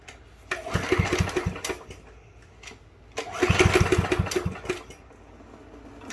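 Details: Free Yard Machines push mower, model 11A-02MG029, discarded as non-running, after tightening loose bolts: two bursts of recoil pulls, each giving a few ragged coughs that die at once. It won't keep running, so the carburetor comes off next.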